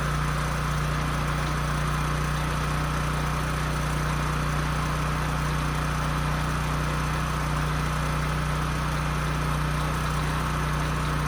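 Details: Husky portable generator that sat 5 years with bad fuel and a leaking gas tank, after carburetor cleaning, fuel-flow fix and a new governor spring, run outside: steady, even drone with no hunting or misses, output close to 61 Hz, running healthy.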